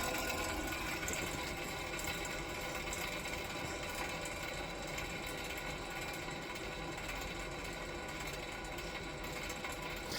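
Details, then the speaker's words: 7.5HP (5.5kW) 3-phase regenerative ring blower used as CNC vacuum pump, on a 10HP VFD set to coast to stop from full speed: whirring wind-down with rough rattly undertone; owner suspects bearings sound worn. "can hear the bearings in there they don't sound the best but I'm going to ignore that"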